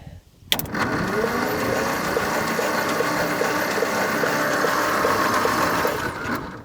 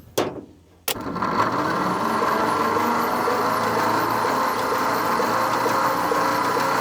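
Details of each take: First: 1950 Nash Statesman, not run in 23 years, engine not seized: steady starter churn with even compression pulses, two or three a second, no firing catch; cranks but won't start, no spark heard, dirty points suspected. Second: 1950 Nash Statesman engine, sitting 23 years and not seized, plugs out with lube in cylinders, cranked by an alternative method because the floor starter switch is seized; with ignition off no spark, starter spins it evenly with no grinding: normal cranking.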